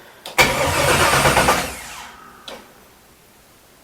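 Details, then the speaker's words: 1967 Chevelle with LS swap, first start attempt: the starter spins the engine briskly for about 1.5 seconds but it never fires, because there is no fuel and no fuel system fitted yet; crank, no start. "we got to rig up a fuel system because uh we have no fuel actually we have no fuel and we have no fuel system"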